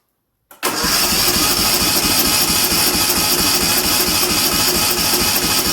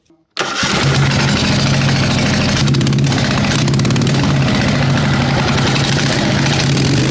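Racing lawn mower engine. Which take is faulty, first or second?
second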